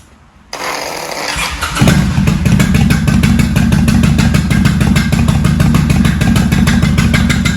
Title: 1995 Kawasaki Vulcan VN800A Knocking sound from the engine.